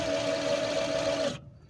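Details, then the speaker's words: 2002 Kawasaki VN1500 motorcycle with electric reversing/parking motor system, friction drive on rear tyre: steady mid-pitched electric whine with rubber sound as rear wheel spins in reverse, then cuts off cleanly; normal reverse motor operation. "Right, press the button for the reverse. I'll put it forward and back into reverse. Forward, up, reverse."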